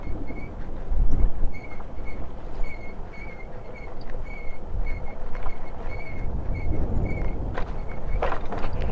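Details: Honda Highness CB350 on a Spiti ride, engine switched off and rolling: a thin high chirp repeats about twice a second in time with the wheel; present since new, service centre said it is brake noise, likely light brake rub.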